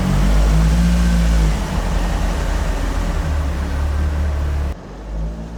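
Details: Carbureted vintage AE86 build revving on a temporary throttle setup: deep, clean note pulls up smoothly and drops off without stumbling or popping; it was the carbs all along, engine now healthy.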